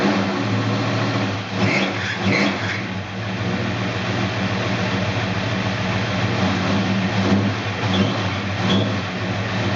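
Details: 1969 Dodge Dart Swinger 340 V8, first start after reinstalling the K-frame, engine and transmission assembly: throttle blipped a couple of times, then a lumpy but steady idle; normal idle.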